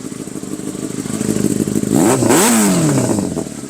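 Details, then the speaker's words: Yamaha R6 sport bike bought in rough condition, cooling system found rusted inside: crisp idle then sharp blips rising and falling cleanly with loud exhaust bark; very loud, reportedly shoots flames, engine revs freely and healthy. "very loud. It sounds good. I like it."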